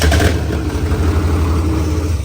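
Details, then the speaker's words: Freshly finished 6.0 LS V8 swap with new computer: catches quickly and settles into a deep, even, lopey rumble with no knocks, ticks or misses; sounds healthy. "But did you guys hear that? This thing sounds like a complete monster."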